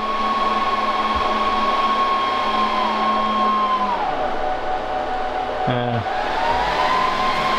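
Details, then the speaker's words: Server under burn-in test with a powerful magnet moved from 9 cm to 6 cm: steady high fan whine sags and dies, then surges back to full speed; 3 of 4 fans stopped from magnetic interference, fan errors and overheating. "The server sounded really angry and smelled furiously hot. It was giving us errors about 'fan redundancy' and 'fan RPM'. When we opened the server we found that 3 of the 4 fans had stopped working."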